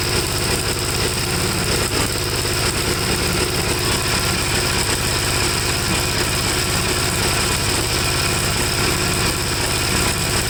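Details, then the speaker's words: 1954 Gravely tractor single-cylinder engine, hot, after cleaning a second carburetor and swapping carbs: chugs lumpy and rough, never settles to a clean idle, plug black, stalls when leaned; owner suspects it runs too rich, cause unconfirmed. "so it's doing the exact same thing"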